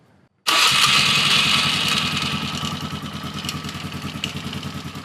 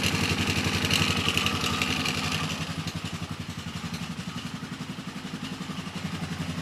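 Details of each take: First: Polaris Sportsman 450 ATV with original Mikuni carb and new spark plug, no choke or enricher; catches and settles into fast idle with a light steady ticking on top; owner suspects starter clutch rollers, unconfirmed; otherwise runs well. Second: Polaris Sportsman 450 ATV with original Mikuni carb replacing junk aftermarket carb, new spark plug, no choke or enricher: steady, even single-cylinder idle with light clatter, which owner suspects is starter clutch rollers.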